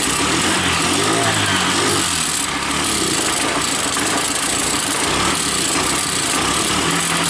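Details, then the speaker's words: Motorbike idle rising and sagging instead of holding steady; a small spring and spacer were left out of the clutch cover and are being refitted: unstable idle. "Oke teman-teman, jadi untuk motornya nggak bisa stabil barusan."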